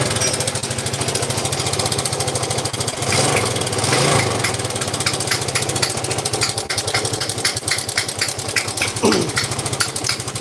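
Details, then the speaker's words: Yamaha Vega ZR motorcycle awaiting teardown. A fast, dry metallic clatter comes from a cam chain that is far too slack with a worn tensioner, plus a rattle in the clutch housing. The engine then died by itself, smoking. "kalau saya dengar yang jelas rantai keteng Udah kelewat kendor terus atletnya juga udah murai haus"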